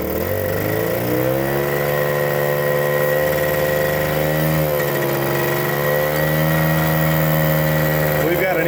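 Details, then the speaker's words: 1979 Suzuki JR50 two-stroke minibike, long stored, smoking more: uneven, stumbling idle about three to four pulses a second with wavering pitch, not revving out; intake air leak at unsealed phenolic resin carburetor spacer. "intake leak. That's probably why it's not revving out."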